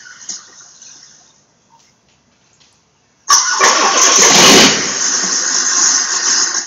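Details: Freshly rebuilt Volvo Penta AQAD40B 165 hp marine diesel, first fire-up in the shop: quiet, then it catches right away and holds a steady, even run without knocks or stumbles; healthy engine.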